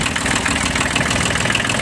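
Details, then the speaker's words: Kubota B1200 mini tractor three-cylinder diesel idling in frost: steady even clatter with no misses, knocks or surges; no leaks, runs smoothly and healthy. "Двигатель без подтеков, работает ровно, кстати, трехцилиндровый,"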